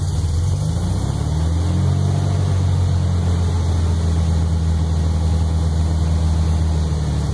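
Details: Startup after rebuild of a 1641cc engine: low steady idle settling after a blip, with an uneven pulsing underneath and a pop and knock noise present; the cause is not pinned down. Engine knocking and popping.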